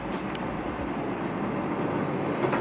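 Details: Nissan GT-R front Brembo brakes, pads cleaned and backs greased, 6 mm pad left, slowing from about 30 mph: thin steady high-pitched squeal over road rumble; squeal persists after fix, attributed to high-performance pad material.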